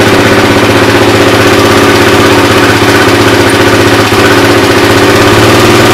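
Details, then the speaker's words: Suzuki LT-R 450 quad after CDI replacement, battery charged, air filter off, choke likely on: loud even single-cylinder thumping at about four beats a second, holding a steady idle with no stalling; carburetor seems fine; normal idle. "i consider that successful carp doesn't seem like it has too many problems at all"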